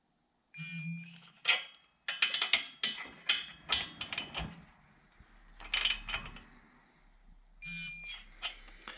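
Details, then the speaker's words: Ski-Doo 550F snowmobile during cylinder repair reassembly: amid tool clatter, two short high-pitched beeps about seven seconds apart as the torque wrench reaches set torque while bolts are re-checked. "so i don't know if you can hear it or not but when this torque wrench hits torque it will beep and"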